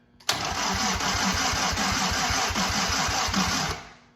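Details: 1943 Willys Jeep WWII Go Devil engine during timing/idle adjustment: starter turns it evenly, about three compression pulses a second for three seconds, but it never fires; probably flooded, not confirmed.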